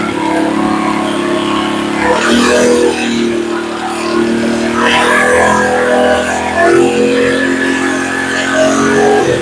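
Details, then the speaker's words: Earthquake Versa tiller that sat a year, after new carburetor fitted: idle raised to correct setting, governor stops hunting up and down; steady idle with occasional handling noise, normal. "so what we did was we turn the idle up until it was at the correct idle spot for it and then the cycling went away away completely with it"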